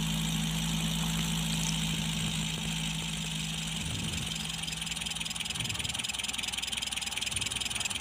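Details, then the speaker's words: Colt T120 diesel, originally rough-sounding with little oil reaching the cylinder head, started just after a new filter was fitted: steady idle hum dips and recovers twice, speed rising and falling. Idle hunting, suspected to come from the filter, unconfirmed. "nyoba kita hidupkan setelah kita ganti filternya ternyata filternya juga bermasalah ya ini mulai naik turun"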